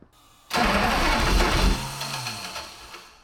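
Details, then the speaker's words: Ex-Navy patrol boat engine, apparently long submerged, start attempt with fuel pressure confirmed: starter whir jumps into a short burst as the engine fires and revs for a split second before fading; the engine catches briefly. "It's disengaging the starter because the motor's spinning fast enough to throw the bendix out. Courtney, it's starting to start. Yeah. It's trying."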